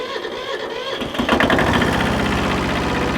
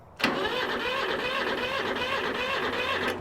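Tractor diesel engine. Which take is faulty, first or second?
second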